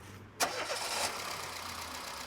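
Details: 2005 Peugeot 206 (1.4/1.6) with earlier misfire codes P0204, P0300 and P1336, started after repair and reassembly: quick crank, clean catch, smooth steady idle with no stumble or miss; now running right.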